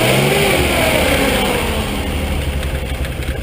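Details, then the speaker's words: 1967 Austin Healey BJ8 MkIII in neutral in the driveway, starts quickly, blipped: smooth even revs rising and settling cleanly, no smoke, ticking or misfire; carburetors well synced, throttle response excellent, healthy engine. "seem to sync up really nice it's very smooth throttle response is excellent"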